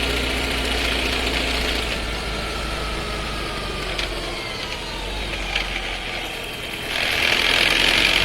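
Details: Skoda Scala 1.5 TSI with dry-clutch DSG, new, about 3,500 km: loud downshift with falling whine and rattle heard inside the cabin, then a louder surge.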